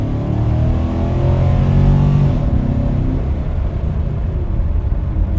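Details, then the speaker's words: 2018 Nissan Titan on road test after repair: engine pulls up smoothly under load then eases off, no more fuel shut-off or rev limiting, no stumble; normal acceleration. "perfect. No more fuel shut off. or rev limiter or whatever you want to call it."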